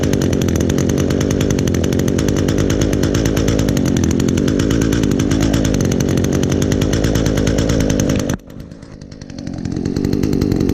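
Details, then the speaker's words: 2010 Echo HC 150 hedge trimmer, carburetor had previously failed, probably unused since late spring, started on choke with primes: high steady two-stroke buzz, drops briefly then picks cleanly back up to speed; normal running. "see how it starts oh wow that's amazing I probably hadn't used this thing since probably since late spring last year"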